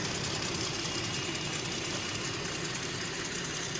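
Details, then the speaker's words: 2018 Jeep Grand Cherokee 3.6 L after replacing fuel injector, spark plug and coil for cylinder 5 misfire and injector stuck open/closed codes, started while refilling coolant: steady, even idle with no stumble; misfire gone. "So, she had a little she had a little misfire, but sounds good now."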